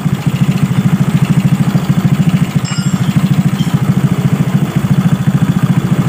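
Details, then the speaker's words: Suzuki Smash single-cylinder engine, freshly rebored with the head refitted, running in at idle. Carburetor has no air filter, giving a busy intake hiss over an even, quick thump; no knocks, healthy. "jadi GK di kamera ya jika direkam di video ini sekilas suaranya seperti suara berisik tapi ini bukan suara dari karburator yang tidak ada saringan udara atau filternya nah Ya"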